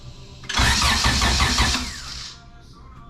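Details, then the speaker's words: H2 race car with GSR engine swap; starter spins the engine at about three beats a second for two seconds but it never fires. Owner suspects no signal to the distributor; flooding also questioned. "because it's not even trying to fire it's just not doing nothing"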